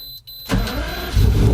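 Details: Lamborghini Murciélago V12, in neutral, started with the key for the first time after a key-start fix: short crank, then catches cleanly and climbs into a firm, even rev. Normal start.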